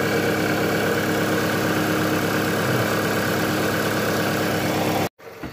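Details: Toyota Camry 35 2.4 2AZ 16-valve, idling with the valve cover on: a dull knocking runs through the engine note, blamed on a worn balance shaft and bearings; a sensor near the manifold was cleaned beforehand.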